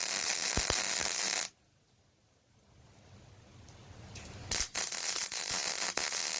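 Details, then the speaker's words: MIG welding 5/16 inch plate with a Yeswelder MIG-Pro250 for a hydraulic steering cylinder mounting plate: steady frying arc crackle with occasional sharp pops as the arc hits rust, impurities leaving small porosity holes in the bead. "every now you turn every now and then you'll hear a little bit of a pop sound and that is me getting into a little bit of the rust so it's impurities and that pop is most likely a little hole in the bead called porosity"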